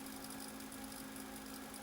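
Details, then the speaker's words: Apple Macintosh Classic switched on for the first time, with nothing on the screen. A steady low hum and faint whir are heard, and a fan is audible. Source unclear; the owner guesses the floppy drive. "Okay, here we go. I can hear circuitry worring away."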